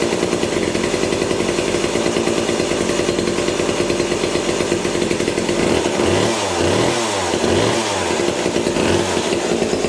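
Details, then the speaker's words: Vintage McCulloch two-stroke chainsaw with new bar and chain, oiler not working, test run: buzzy idle then several quick throttle blips rising and dropping smoothly; runs and revs normally. "just want to start it up and see how it runs make sure that the bar moves everything is good"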